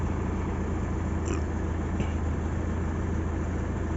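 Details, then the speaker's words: Daihatsu Zebra Espass, just started after sitting unused 5-6 days: steady, even low idle hum with no knocks or misses; normal idle. "6 hari, 5 hari nggak hidup sama sekali, aman teman-teman."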